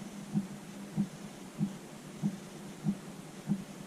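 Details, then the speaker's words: Motorhome diesel heater with the fuel pump mounted far underneath the van: soft, regular ticking about 1.5 pulses per second over a quiet hum. Normal fuel pump operation. "You can just and so hear the pump, which is underneath the van, as far underneath the van as you can get it."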